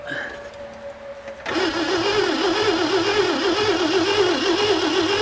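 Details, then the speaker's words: 1967 Mercury Monterey, 390 big-block V8 parked since 1992, first cranking on fresh gas with original ignition: steady starter whirr about four cranks a second, no firing at all; owner suspects no spark. "If she had spark, she'd be doing something. She'd be trying. She didn't even give it a shot."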